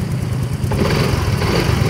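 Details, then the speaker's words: Yamaha Mio i 125 (M3) scooter after repair, brought in misfiring and stalling shortly after starting, spark plug replacement didn't help; now settles into a steady, even idle with no stumbling or misses, running cleanly. "Ayan ngayan umaandar na siya. Ba yan umaandar na yung mga boss."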